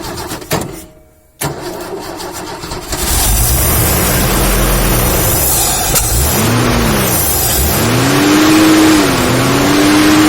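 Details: 1972 Ford XY Falcon 4x4 ute, factory four-wheel drive, cranks briefly, catches and settles into a smooth, quiet, even run with clean rev rises and falls, no visible smoke; healthy start and run.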